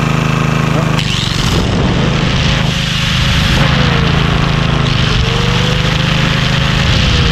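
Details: Vintage Homelite generator, probably late 1970s, unused about 30 years, powering a plugged-in grinder: single-cylinder runs steady and even, note holding under load, no misses or knocks; normal running.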